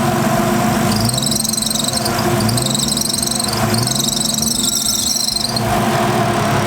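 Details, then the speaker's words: Nissan RB20 at idle with failing OEM alternator, voltage just under 12 V and dropping when fans switch on: loud, high shrill squeal in bursts as electrical load comes on, belt slipping suspected. "And that sound is so annoying. It's so loud and it's so obnoxious, and I hate it so much."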